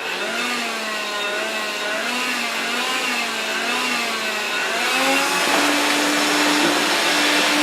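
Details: Electrolux Ergorapido Lithium battery vacuum after seized fan motor repair: steady high motor whir with slight wavering pitch settling into an even tone; normal running.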